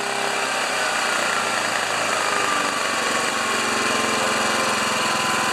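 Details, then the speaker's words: Old engine-driven welder switched back to auto idle: steady drone with a faint whistle sliding lower as revs ease down, output dropping to 71 volts; owner accepts this as normal for an old machine. "And it drops to 71 volts as well. I'm okay with that. This is an old machine."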